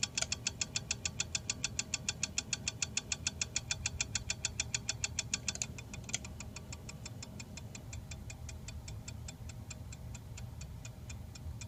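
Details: 52-inch Hunter Low Profile ceiling fan, motor sticking at one spot after shipping: sharp regular ticking about 102 per minute, loud then softer; owner suspects bearing noise from shipping damage, unconfirmed.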